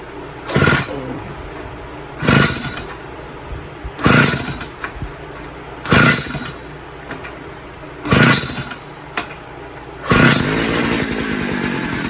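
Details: Posthole digger two-stroke after carburetor install, choke on: pulls over in bursts about every two seconds, then catches and keeps running with a steady buzzing beat; runs pretty good, normal running.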